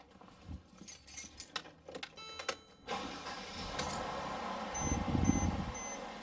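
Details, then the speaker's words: Mercedes-Benz E350 W212 3.5L V6 after engine belt replacement, filmed from the front: keys rattle, starter catches after about three seconds, smooth even idle, no belt squeal or slap; belt routed correctly, normal start. "just like that, guys, we have startup. Obviously the belt is in the right course, and I'm just going to verify it here right now."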